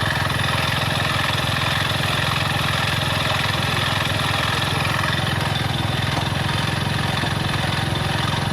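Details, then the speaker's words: Hero Splendor single-cylinder motorcycle at idle with worn crankshaft and broken bearings: hard, regular knock on every turn, about three a second; crank bearing knock, similar to piston noise. "और इसके engine में से एक आवाज़ ए रही है इसकी crack मिट गई है खराब हो गई है उसके बेयरिंग वगैरह टूट गए हैं इस वजह से इसके इंजन में ऐसे आवाज़ ए रही है"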